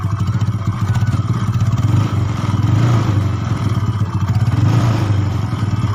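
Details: Yamaha Mio bored up to 150cc with standard parts, freshly assembled, first start test (previously rough, worse when hot): low, even thumping idle with a loud exhaust, no knocks or rattles; runs smoothly.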